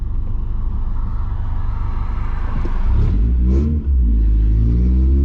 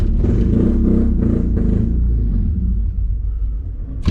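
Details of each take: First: Honda Accord CD7 H22 swap, exhaust not yet fitted: four-cylinder idles smooth and very quiet, then revs cleanly and evenly with no misfire; running right. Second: Honda Accord CD7 with H22 swap on its first drive: loud uneven lumpy thumping that fades and stalls within seconds; distributor firing order was wrong, and correcting it made the engine run smoothly.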